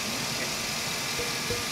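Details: 2009 GMC Savana G3500 at idle, heard close up: coarse gritty rushing hiss with no clear rhythm, like a dry bearing; the idler wheel sounded smooth, so the owner concludes the alternator bearing is rough.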